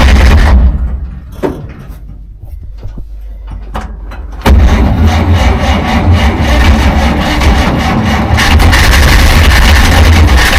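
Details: 1947 Dodge, carburettor engine reluctant to start after fuel supply problems; choke put on fully, linkage faulty with butterfly stuck: uneven cranking with a few weak catches, then a rough struggling run; flooded engine, hard starting.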